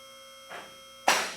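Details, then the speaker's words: Newly installed Advantage lift raised for the first time before adjustment: over a steady electric motor hum, two separate safety lock clicks land about half a second apart instead of together. "At this point, we have not adjusted them, so they're not clicking all at the same time."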